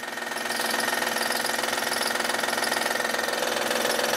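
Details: 2010 Honda Odyssey 3.5L i-VTEC at idle, heard from underneath where it gets louder: light rapid knock about three per second over the idle; timing belt tensioner bad, must be replaced first, possibly more problems.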